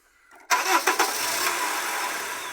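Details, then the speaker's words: Honda CR-V that bangs on starting, cranked with a jack propping up the transmission: brief crank, then it catches and settles into a smooth idle with no bang or clunk; propping the mount stops the noise. "dá a partida aí filho agora não faz o barulho"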